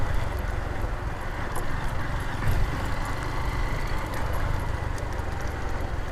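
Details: Honda Titan 150 motorcycle after clutch bearing work, noise appearing next day and persisting: single-cylinder idling with steady low thump and irregular clatter over it; internal engine noise, cause unclear.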